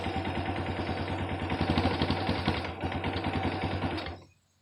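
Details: Kawasaki Bayou 220 ATV, not run in a long time, new Chinese carburetor: single cylinder chugging at a slightly uneven beat for about four seconds, then dies; owner thinks it may need carb tuning, unconfirmed.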